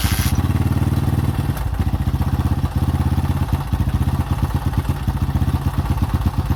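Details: 2005 Honda CRF150F, a former no-start that then ran high without idling (a carb issue), after valve adjustment and carburetor tune-up while the carb is adjusted: quick, even single-cylinder thumping at fast idle, no misses or stumbles, running cleanly.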